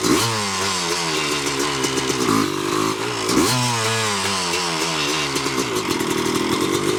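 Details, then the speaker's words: 1986 Yamaha YZ250 two-stroke, sat since 2015, running on choke with a borrowed carb and cleaned reeds: crisp crackle climbing and dropping cleanly through quick blips, no misfire or bogging; pulls strong, healthy idle and revving. "This thing's freaking unbelievable. Holy cow. What an animal."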